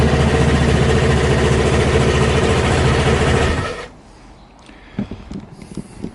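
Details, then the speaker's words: Piaggio scooter that struggled to start and stalled from fuel starvation, after refitting a loose vacuum pipe to the fuel switch: steady, even single-cylinder putter at about 3.5 beats per second, no misses, then clean shut-off. Normal idle, fixed. "Well, that seemed to fix it."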